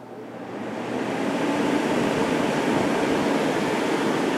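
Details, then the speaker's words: 1989 Climatrol 8000 BTU window air conditioner made by Fedders, Rotorex compressor, stiff Samsung fan motor: on high fan, steady even whoosh mostly from the condenser fan, no ticking, rubbing or wobble; fan running smoothly. "most of the noise you're hearing is coming from the condenser fan and we will go to lowan High cool and look cool nice and quiet on low"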